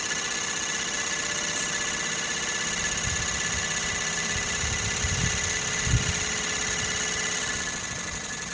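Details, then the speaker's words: Sirius two-cylinder steam engine powering an alternator, running on the bare exhaust stack with no oil separator or exhaust plumbing; loud, fast chuffing with a hissy top end and a steady beat like a petrol engine, normal running. "But it's pretty loud. It sounds almost like a an internal combustion engine is so loud."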